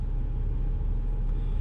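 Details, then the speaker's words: BMW E90 N52 after VANOS code fix traced to Chinese parts: low, even rumble at steady idle, no ticking, hunting or stumble; normal idle. "idols perfect this cars never let's go up and down a little bit now"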